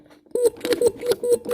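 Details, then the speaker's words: MG/Triumph mechanical fuel pump on the bench after cleaning out varnish and lubricating, lever worked by hand: crisp, regular squelching strokes about four per second, pulling vacuum and pushing cleanly; normal fuel pump operation. "it's pushing and pulling hear that anyway it's pulling a vacuum on this one and it's pushing on this one"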